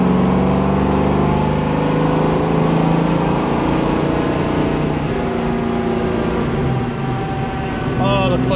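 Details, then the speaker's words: 1967 Mustang with a 347 stroker V8, manual, after the power issue and clicking clutch were fixed, accelerating on a test drive: a strong, even engine pull with no clicking or slipping. Full power restored. "yeah I I have all the power back it's a totally different animal"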